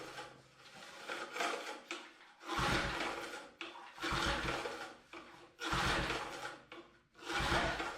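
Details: 1988 MTD garden tiller that hadn't run in decades, given fresh fuel and choke: four rasping recoil pulls about 1.5 seconds apart, each with a short churn and no firing, so it cranks but won't start. The spark plug is checked next.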